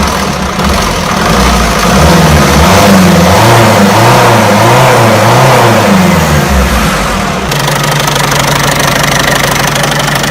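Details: Peugeot 307 1.6 90 hp engine: a regular knock about three or four times a second rides over the idle and quickens with the revs; owner wants to know where this knocking noise comes from, source unknown.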